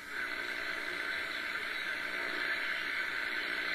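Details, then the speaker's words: Realistic DX-200 shortwave receiver on 9.980 Overcomer station: constant loud hiss, no clear audio; high noise level with S-meter nearly pegged, possibly dry-air static. "but this is the this is the overcomer radio on 9.9 a zero and I can say normally in the afternoon that thing is clear as about but whoo it is annoying level so high"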